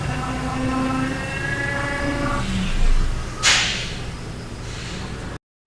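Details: Genesis GV80 driving: a thin whine sliding down in pitch as the car slows over road rumble. Cause: rear differential pinion whine, addressed by a later service bulletin.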